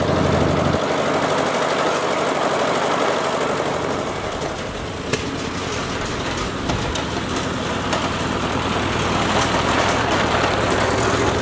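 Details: Ford Jubilee tractor mowing on the PTO after a carburetor swap: steady engine holding speed without stalling, an even beat with some rough edges. Runs acceptably and cuts much better than before, but the carb still needs adjusting.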